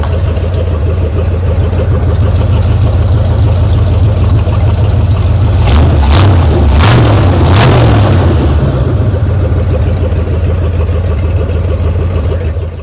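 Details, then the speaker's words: 1973 Mercury Cougar 351 Cleveland V8, newly revived with fresh gas and cleaned tank: idles evenly, takes a few quick throttle blips and settles back, running crisp and clean; carb still needs dialing in. "good sounds pretty good I gotta dial that carb in a little bit but I got good fresh gas in it now"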